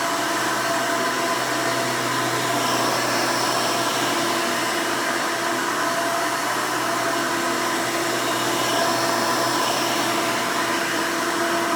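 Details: 1992 Hoover Elite II Total System Performance 650 U4689-910 upright vacuum, motor untouched since purchase: loud, steady roar with even whine, no surging, rattles or grinding; owner says it runs very nice and smooth, normal running.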